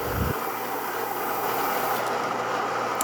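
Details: Gaggia Cardona Plus espresso machine after its grinder was replaced because the base had snapped: even, steady grinding hiss with a constant motor hum and no catching or strain; normal grinding.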